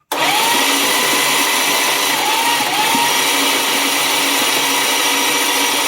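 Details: Chrysler Slant Six, freshly prepared with Lucas SAE 30 high-zinc break-in oil poured over the rockers and preliminary valve lash being set, cranked over by the starter with plugs out. Steady high whirring spin with a faint rhythmic pitch wobble and no firing.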